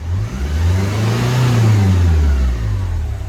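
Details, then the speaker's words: Renault Kangoo diesel test car with fault (glow-plug "spiral" light, sluggish revs that hang); after cleaning accelerator pedal, throttle blip climbs smoothly and returns cleanly to normal steady idle, healthy response. "в принципі плавниїк спускає І вертається до холостого хода до нормального холостого ходу"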